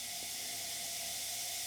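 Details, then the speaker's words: Briggs & Stratton 18 hp engine on a rusty Hayter Heritage ST42 ride-on mower, engine off during a leak-down test. Steady loud air hiss, moderate cylinder leakage (about 46–47) past the intake valve. "okay we're about there and as you can hear we do have some leakage from the intake valve yep definitely leaking through the intake valve"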